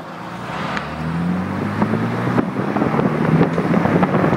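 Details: BMW E30 325/316 under hard acceleration: engine pitch rises while sharp irregular clunks knock over road and wind noise; source unknown, knocks only when floored, not cruising, sometimes over bumps.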